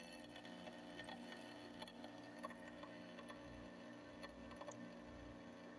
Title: 98 Fedders 5100 BTU Air Conditioner weird noise on startup